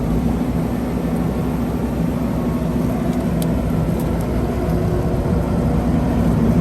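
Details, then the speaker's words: Quick-attach skid steer forestry mulching head with low hours spinning free with steady low hum and whir, no bound-up bearings, no grinding or knocking. "very quiet you can hear there's no bearings that are bound up and it runs very smoothly"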